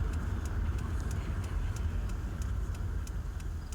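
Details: 2005 Honda Accord, 201,000 miles: sharp light tick about three times a second over a steady engine hum, worst at 1500–2000 rpm, localized at cylinder 6 by screwdriver stethoscope; owner suspects timing, possibly original timing belt.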